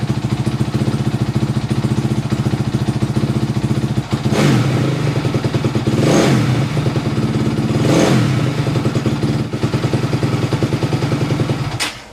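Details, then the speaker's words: 2004 Honda CRF250X four-stroke single just after top-end rebuild and reassembly, new oil filter, fresh start with choke, first heat cycle: even crisp idle with two clean rev blips rising and falling smoothly; normal running. "but as of right now this top end is done it runs good it feels nice and tight uh it's good to go guys it's really not that hard"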